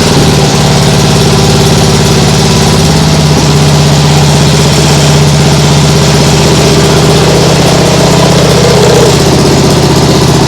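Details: Nibbi G619 walk-behind tractor engine after carburettor cleaning to cure hunting; throttle handle at lowest position, steady even idle with no hunting or surging, like a sewing machine.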